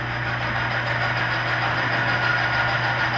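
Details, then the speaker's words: Oil lubrication load-test rig under added weights: steady hum with a rough, rasping screech as load goes on, the oil film breaking down and metal scoring the test part. "damage it's piering the piering the protection of the oil"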